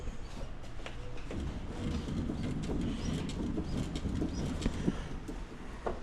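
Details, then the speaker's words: 2025 Polaris General XP 1000 4-seater, about 700 miles, Walker Evans shocks squeaking since new; after the shocks were removed, reclocked and given dry lube, it sits still with low steady rumble and birds outside, no suspension squeak. "No squeaking sitting still, so hopefully that was the fix."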